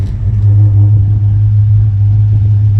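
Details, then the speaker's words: 1964 Ford Falcon after carburetor replacement, first run in 15 years: deep steady rumble, even with no misses, knocks or rattles, running smooth though may need slight adjustment; normal revving. "oh man listen to that and honestly we might have to adjust it a little bit but it's running pretty smooth right now"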